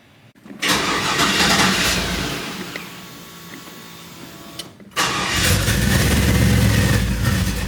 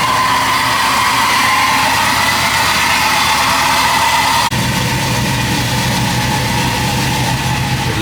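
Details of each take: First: Chevy C10 truck after a new wiring harness, injectors and MAP sensor: it starts cleanly, then within seconds the idle sags and stumbles and it is restarted; a vacuum leak makes the idle act up, and the O2 sensors read incorrectly. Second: Chevrolet C10 V8 idling evenly and steadily with no hunting, surging or stumbles, after a new complete wiring harness, replaced injectors, a fixed vacuum leak and a reconnected sensor; the owner hopes the fault is gone: normal idle.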